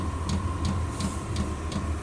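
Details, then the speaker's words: Vevor Chinese diesel heater, restarted after error 8 (no fuel) about 10 minutes in: steady low burner roar with soft regular fuel pump ticking; flame lit, temperature rising, heater working normally. "So I just tried to fire it up again, and now I think I can hear the flame inside. I can hear that rumbling from the"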